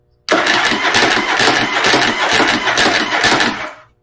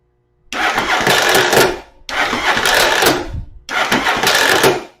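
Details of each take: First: After fitting a Bendix clip clamp to the starter, with the battery boosted, the engine cranks in an even, steady chug at about two beats a second for roughly three seconds. No gear kick-out or missed engagement. Finding: normal cranking. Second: Starter test with spark plugs removed, before fitting a Bendix clip clamp. Three short high-pitched whirring bursts with no engine turnover, giving only about a rotation as the drive gear kicks out. Finding: starter drive gear not engaging the flywheel.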